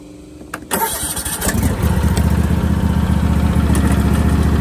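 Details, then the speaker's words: Husqvarna riding mower after deck (primary mower) belt replacement, test run before engaging blades: short crank, catches quickly and settles into a steady, even idle with no knocks, squeals or misses; sounds healthy. "Looks like everything's good to go."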